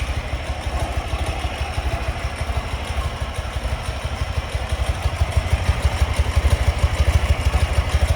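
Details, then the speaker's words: 2004 Ural Tourist sidecar motorcycle idling cold in neutral on choke after a room-temperature start: even, slow thumping at about three beats a second, smooth with no clatter, misfire or smoke; healthy idle. "Choke here. Idles nicely. No smoke."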